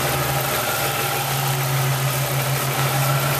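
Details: Chevrolet Lumina, first start after an engine swap, at idle: steady, even idle with a smooth low hum and no misses. Normal idle, though a slight noise was traced to a rocker hitting the valve cover.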